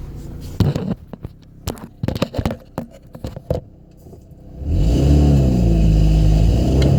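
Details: 2005 Saturn Ion with a bad exhaust flex pipe, new pipe bought but not yet fitted: after handling clicks, the engine revs with a rough, rapid puffing, sputtering, backfire-like exhaust note.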